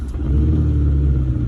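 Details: Suzuki Sidekick with both hubs unlocked and transfer case in 4H: deep, steady low rumble under the drive with nothing sharper on top; unexplained drivetrain rumble.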